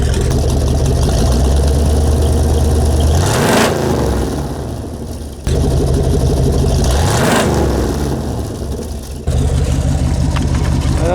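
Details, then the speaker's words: 1992 Ford F-150 at the tailpipe after an oil change; stolen catalytic converter replaced by dual exhaust pipes gives a deep, rasping exhaust that booms through each blip and drops back to a loud burble. "yeah they made it into dual exhaust when they took that someone stole that converter"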